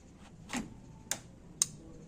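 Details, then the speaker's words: Samsung washer-dryer with no power, main PCB fault: sharp relay clicks about twice a second over faint room hum with flickering light as the faulty main board keeps cycling power. "Watch carefully. You're going to see a light there and a relay clicking."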